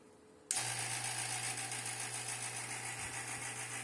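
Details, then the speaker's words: 2019 Corvette C7 ZR1, dual charge air cooler system being bled with a Cooler Bleeder, power on, vacuum pump not yet started; passenger intercooler pump snaps on into a steady low hum with even hiss; normal running. "So now you can hear that the passenger intercooler pump is running. You can hear it."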